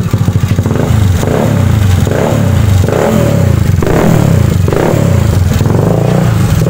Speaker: Nah itu Kedengaran bunyi ngelitik sedikit cuy tapi kalau kita gas-gas sampai RPM tinggi itu hilang